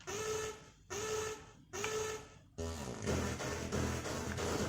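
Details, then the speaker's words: Amiga 1200 playing Metal Gear port music: game audio comes through harsh and crunchy, every note fuzzed and gritty; distorted audio output, cause not yet pinned down. "we got the music I mean again like very incredibly crunchy doesn't sound right does it"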